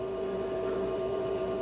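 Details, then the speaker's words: 39-year-old Ford F150, cranks but no start: constant mid-pitched electrical buzz, engine not running, while test-probing injectors; injectors have power but no control signal, noid light off; cause not yet found. "okay we hear a buzzing noise but we have power going to the injectors"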